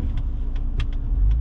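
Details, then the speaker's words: Gen 2 Ford Raptor after dealer cam phaser replacement, in-cab while driving on a 91-degree day: steady low engine rumble under light load with only faint clicks; earlier loud ticking and lost power gone, now smooth. "know so i mean let's see man sounds good give us some gas power is back so that's good thing that's a good thing man"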